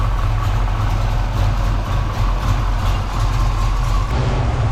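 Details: 1987 Foxbody Mustang V8 after a Vortech V2 supercharger and fuel system upgrade, with the battery reset so the computer relearns, and no fuel leaks: a heavy, deep, steady burble with no misses or stumbles. Runs much better. Normal idle.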